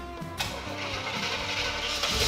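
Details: Chevrolet K10 Squarebody with a 355 V8, restored in the 90s and sitting for 6 years, start after sorting fuel supply and reconnecting exhaust: brief crank, catches at once, steady even run with no misfire; normal start.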